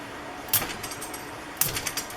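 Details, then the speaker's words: New electric motor for a 1968 Fiat 850 Spider EV conversion, bench-tested straight out of the box on a battery: bright bursts of clicking with lighter ticks. The owner is unsure whether it is an internal fan. "A little noisy. I'm sure you can hear that clicking. It's a little noisy. I don't know if that's a fan inside."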